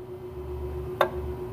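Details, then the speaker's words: Nissan truck with P0455 EVAP leak, vent control valve solenoid clicked on and off by scan tool; single sharp click over a low hum shows the solenoid is functional, before closing it for a smoke test. "okay so you guys can hear that it is clicking it is functional"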